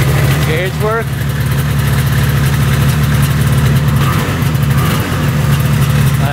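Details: Arctic Cat Panther 440cc two-stroke snowmobile, bought as no-spark non-runner, idling after fix and test drive: steady even low burble, no misses or knocks, still smoking; engine running healthy.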